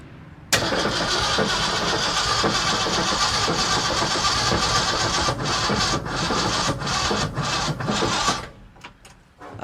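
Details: 1965 Ford F350 FE V8 after intake rebuild and replacement distributor: starter churns steadily about eight seconds, never fires; no start, wrong firing order and timing suspected, with smoke from the solenoid.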